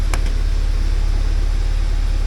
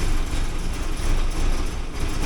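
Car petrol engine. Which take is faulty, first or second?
second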